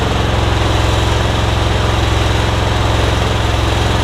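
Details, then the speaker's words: 2015 Yard Machines (MTD) riding mower that had no power at the key, fixed by bending back a badly bent blade lever so it closes the safety switch: engine cranks and runs with an even regular putter, no stumbling or rattles, charging the battery. "those switches should be closed and it should allow you to crank it so here we go and it is charging the battery too"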